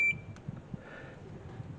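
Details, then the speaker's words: Kenmore antique fan (model 124 8054) stator tested with a meter set to auto: short high beep and changing readings between coil loops that should show no continuity; burnt, shorted stator winding. "See the numbers changing? Okay, that's not good. Here, same thing. And you can hear it there."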